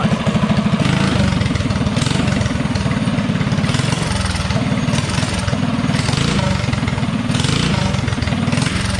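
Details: DuroMax 208 single-cylinder on a Bonanza mini bike with newly installed, tuned Mikuni VM22 carburetor: fast, even putter holds steady and picks up cleanly on small throttle blips; running right.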